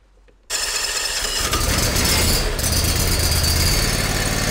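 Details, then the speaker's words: eXmark lawnmower after belt tension released and the suspected PTO clutch bearing checked, dry-bearing noise gone: engine fires up and settles into an even, steady run with no dry squeal or bearing growl; sounds a whole lot better. "sounds a whole lot better"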